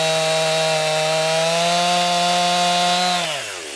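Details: New 50cc chainsaw, about ten pounds, cutting wood from a skidded pile on a cold day: strong steady high-revving buzz holds pitch under load through the cut, then drops off cleanly. Owner finds lots of power for 50cc; normal cutting.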